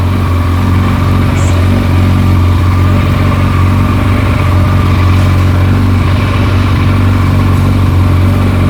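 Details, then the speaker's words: Kawasaki ZZR1400, about 28,900 km, after repairing a dented clutch basket causing loud clutch-side rattle: smooth, even low idle with no rattle or clatter; noise gone. "noise is gone she's gone the noise is she's gone Amazing"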